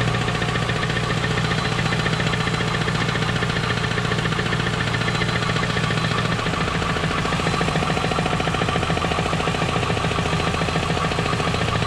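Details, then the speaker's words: Trans Am V8 with the T56 transmission removed, idling with a steady, fairly soft knock of three or four beats a second; a bad pilot bearing was found, but the knock remains: a rod knock. "so obviously i have a rod knock which is what i was hoping and praying wasn't and i kept telling myself it wasn't"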